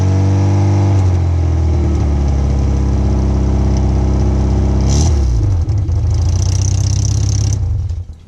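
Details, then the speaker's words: Cheap rallycross car after exhaust work: rough burbling idle swelling on revs with chuffing, ticking edge from a remaining small exhaust leak, location not yet found. "so yes as you can hear I still have a little bit of an exhaust leak somewhere that I need to fix it so got that sound to it"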